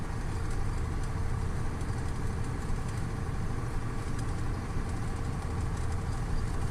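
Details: KamAZ 740.13 diesel after repair with a new FM 740.30 piston kit replacing KMZ parts: steady, even idle with a smooth low rumble and no knock or tapping; healthy.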